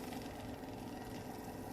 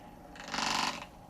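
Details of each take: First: Xin Tester LED digital magnetic stirrer mixing green pigment into gray resin: faint steady mid-pitch motor hum at even speed with liquid swishing underneath; normal running. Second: Xin Tester magnetic stirrer mixing resin in a cup with a beveled bottom: half-second burst of fast gritty rattling over the hum as the stir bar wanders off centre and chatters.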